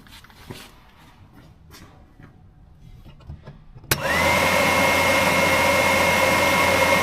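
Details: Gio Golf mobility scooter cabin blower fan switched on (upper switch position, blower only) during relay continuity test: quiet, then the fan kicks on and settles into a steady, even whir with a constant high note; blower runs normally.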